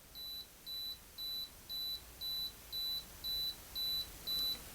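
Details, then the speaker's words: Canon AE-1 Program 35mm camera set to S (self-timer) with the shutter button pressed: even high-pitched beeps, about two per second, steady on a quiet background as it counts down. Normal self-timer beeping. "The S, that's for your self timer. So when you got it there, if you press the button, it's going to count off."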